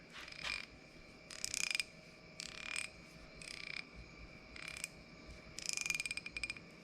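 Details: Old 1/2" drive SK ratchet just after rebuild: crisp, evenly spaced clicks on each swing in a quiet room; the pawl engages cleanly and the ratchet works properly.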